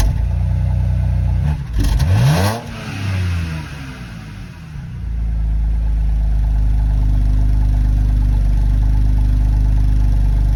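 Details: BMW N52B25 cold start with codes P0012 and P0015: stumbling start, a blip rises and falls away hesitantly, then a lumpy idle; rough running and hesitation under revs from camshaft timing sitting too retarded.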